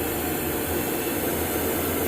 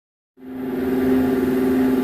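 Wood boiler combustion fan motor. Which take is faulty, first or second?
second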